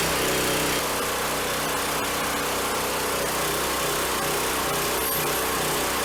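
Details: Replacement small engine on a log splitter, after flood damage killed the original, running after fresh oil, hydraulic fluid and a little gas. It holds a steady, even high-pitched pace with no misses or knocks and sounds healthy.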